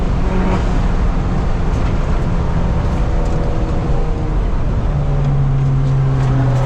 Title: Buttonwillow 4.4.21 misfires cut my track day short....